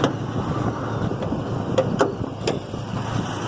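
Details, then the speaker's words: Ford F450 V10 idling, cylinder 9 misfiring worst at minus 17; antifreeze later found down the number 9 spark plug hole, combustion gases in cooling system suspected; low uneven stumbling idle with occasional puffs breaking rhythm; cylinder misfire at idle. "But anyway, so it's sitting here idling. Number 9 is the worst. It's showing negative 17."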